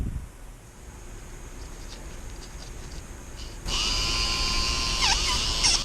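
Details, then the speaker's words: 1994 Lionel RS-3 locomotive (6-18837) DC motor, bench-tested on a 9-volt battery after cleaning and repair: quiet at first, then a steady, high motor whine with a slight warble, healthy and strong. Normal motor run. "Yep, that is healthy and strong. Excellent. We saved another one."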